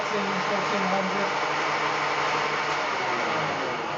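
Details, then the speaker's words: Fehlmann Picomax 50 CNC spindle motor on inverter at its fastest speed: steady high-pitched rushing whir with a harsh edge and low hum underneath; sounds like something ripped out. "so that's the miss now being of the fastest speed sounds like something just ripped out"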